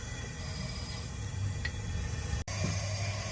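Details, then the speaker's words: 2008 Jeep Wrangler 3.8, cylinder 1 misfiring, compression tester on cylinder 1: steady hiss of air that never stops while cranking, indicating leakage and low compression; suspected bad valve seat or bent valve, not confirmed. "estoy ahora checa en el cilindro 1 y este por más que le doy vuelta nunca deja de escucharse el sonido del aire sigue y sigue y sigue y nunca se calla así definitivamente tenemos un problema en la válvula que hace el asiento o la válvula torcida"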